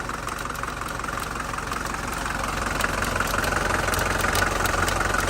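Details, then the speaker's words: 1981 Mercedes diesel at first start after sitting about 15 years, running rough: an idle with a sharp, fairly regular tick near 170 a minute. A loose foreign object, suspected to be nuts, was hitting the cooling fan blades. "well I mean you might have nuts in your fan down here holy smokes"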